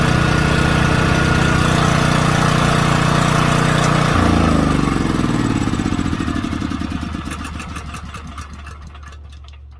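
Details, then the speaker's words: Small generator's single-cylinder engine, which previously would not start, now fires up on the crank rope after carburetor, gas line and tank were cleaned; steady even putter then coasts to a stop, running cleanly; it still charges only 10.5 V instead of about 12, cause unknown. "all I did was well y'all seen it clean the carburetor out clean the gas line tank out the fires right up"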